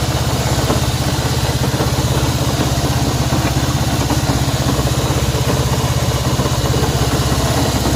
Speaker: Bien, aquí tenemos una CB190R y el problema que tenemos acá es un ruido extraño que tiene esta moto. Así que vamos a saber por qué hace ese ruido.